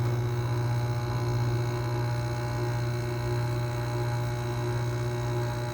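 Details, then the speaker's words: Circa-2000 Whirlpool air conditioner, neglected about two years on a porch; steady low electrical hum with almost no air noise as the fan barely turns, held back by dry, stiff bearings; stalled fan motor hum. "yeah these bearings are not are not in the best of condition"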